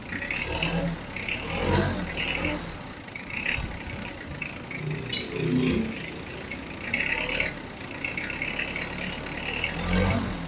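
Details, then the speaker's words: Mitsubishi Adventure diesel, 32,000 km, customer complained of noisy valves; idling and revved, engine needing oil change: steady idle with gentle swells, no ticking heard; normal diesel idle, no valve tick. "Ni-ref ko nga yun oh. Wala akong marinig na lagitik."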